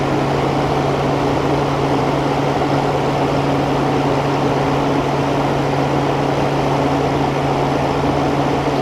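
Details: New old stock 1988 Sears Kenmore 6000 BTU R22 window air conditioner on power saver, run after a year unused: steady even hum with constant fan rush, no knocks or rattles; running normally.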